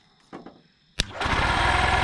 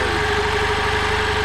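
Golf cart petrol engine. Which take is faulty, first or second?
first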